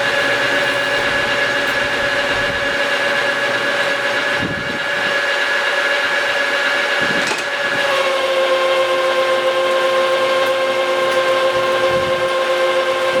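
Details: Lathe roughing a new rotor shaft for a Vermeer 1800-A chipper whose shaft broke, taking it from 4 in to 3 in at 300, 50 per side, coarse feed stated "around 25,000 per revolution." Steady high scratchy squeal over motor hum, pitch dropping slightly partway. Normal roughing cut.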